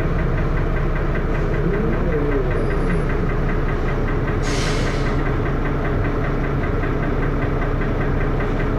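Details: First Manchester Dennis Arrow bus 31923, recorded onboard with a phone: heavy diesel thrashing loudly with a rapid, uneven knock about four a second under cabin rumble; engine knocking, cause unknown.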